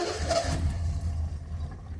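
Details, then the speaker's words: 1974 Triumph TR6 revived after years sitting, new battery, old fuel in the tank, coil wired straight to the battery over a suspected voltage loss: it catches with a low uneven chug, stumbles and dies within seconds; sputters and won't stay running. "going to crank it it spits and sputters"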